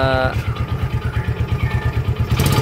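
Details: Yamaha Jupiter Z, before repair, no smoke and dry exhaust, crankshaft previously repaired; under throttle a coarse, heavy low thumping at about eight beats a second with a rough edge; noisy engine, cause not yet known.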